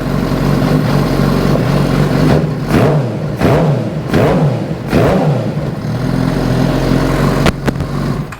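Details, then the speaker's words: 2008 Suzuki GSX-R750 after replacing spark plugs with CR8Es: engine catches and revs in blips, now firing on all four but idling a bit lumpy and uneven; slightly rough running, fuel pressure still somewhat low, fuel pump suspected. "Well, sounds like it's running on all 4. A little rough."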